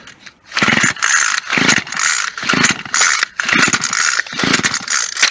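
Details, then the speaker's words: Scrapyard two-stroke gas weed wacker, good compression, fresh gas with too much 2-cycle oil, primed: on full choke it gives uneven, rough bursts about twice a second that stumble and die back; it needed half choke to run properly. "There she is. She just runs. She just wasn't on. She needed to be on half choke to run all the way."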